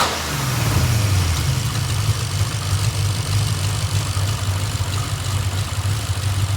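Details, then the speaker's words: Hartley Nissan VK56 V8 with eight independent throttle bodies in a 1971 Nissan Skyline, first start, warm at 82–85°C with thermo fans cycling: steady, even low rumble, no knocks or misses; running normally despite a leaky header. "So we have run it through its paces, and it does cycle through the thermo fans, no problem at all. It's between 85 and 82 degrees Celsius, so everything seems pretty happy."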